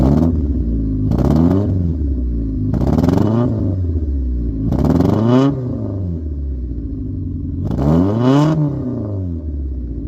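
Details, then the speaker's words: Honda recorded at the exhaust, four revs: uneven fluttering at the bottom of each blip smoothing at higher revs; low-rpm misfire stutter persists after plugs, injectors and distributor were fixed, owner now suspects fuel injectors or fuel filter. "as you heard, as I gave it a few revs, It flutters at the bottom, but then it's but then it smooths out the higher up it goes."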